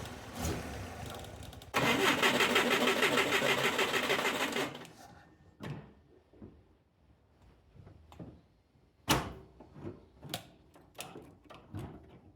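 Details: Mitsubishi Jeep J3-J10 that won't start, during a carburetor overflow investigation: about three seconds of steady starter cranking, then silence with scattered pops and clanks; the engine turns over but never catches, cause not confirmed.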